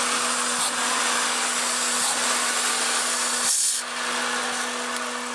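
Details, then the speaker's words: A loud, steady hiss over a smooth idle on an Acura/Honda J-series V6, heard on first start after replacing the fuel pressure regulator. It is a vacuum leak from a line to the intake manifold left disconnected, and it sounds fine once reconnected. "why is it sound like that a that sounds like a vacuum leak so I obviously forgot to hook up something"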